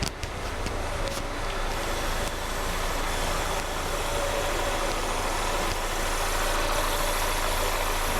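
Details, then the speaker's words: Wrecked 2019 Mercedes A35 AMG on first start after delivery: settled, even idle with a low steady burble and no ticking or knocking; exhaust quieter than expected, a blowing sound noted for investigation. "but the car starts yes that is a result and it sounds fine there's no issues there"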